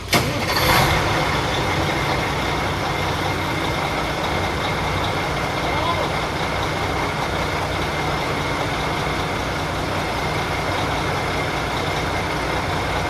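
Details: Mack Superliner diesel after engine repair: brief start flare once fuel pressure built, then a steady low rumble that settles and holds evenly; running fine.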